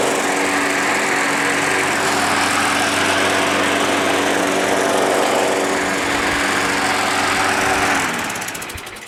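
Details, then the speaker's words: Small engine that sat all winter, primed about five times: hums at a smooth, steady pace for several seconds, then winds down cleanly at shutoff; a healthy run. "actually works pretty good"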